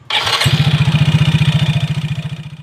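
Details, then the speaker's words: Yamaha Mio GT scooter started with the CVT drive belt removed: rough, harsh pulsing beat with gritty mechanical clatter that persists, so the fault is not the CVT; suspected worn piston and cylinder block, head to be opened. "dan di sini teman-teman bisa dengar sendiri ya kalau suaranya tetap masih ada artinya memang kerusakan bukan pada bagian CP"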